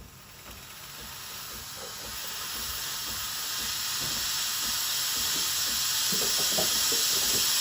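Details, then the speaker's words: Used Breville Barista Express BES870 steam wand starting up, about 15 seconds to steam: hiss builds into a strong, even rush with faint spitting; normal. "Turn on the steamer. It usually takes about 15 seconds to start steaming."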